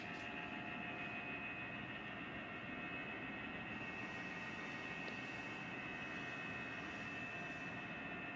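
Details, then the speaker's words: LG Dual Inverter 12,000 BTU evaporator (indoor unit) fan motor: steady high-pitched whine with airy hiss, unchanging; the noisy fan motor should be replaced. "Barulho do motor ventilador da evaporadora Dual Inverter 12.000 BTU LG. Sugiro trocar motor."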